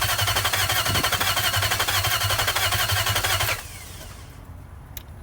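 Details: Nissan '03 VK45DE swapped in for an '02 with blown head gasket and spun bearing: steady starter churning about three beats a second for 3.5 s, never catches; occasional small backfire; fuel pump not heard priming at key-on; crank, no start.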